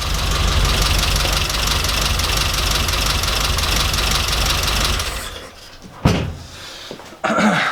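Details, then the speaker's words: Mini 998 engine at idle with a leaking head gasket, seeping below the gasket line: lumpy, uneven idle with an irregular stumble. Owner hopes a new composite head gasket will cure the misfire. "So yeah, that's not great. It's got a bit of a misfire, and hopefully the gasket will sort it out."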